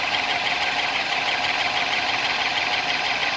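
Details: 1955 Ford Thunderbird, original 6-volt system, hard-start fixed by freeing the seized, rusted exhaust-heated bimetal automatic choke: steady, even idle held noticeably high with no misses or knocks, fast idle on choke, running as it should.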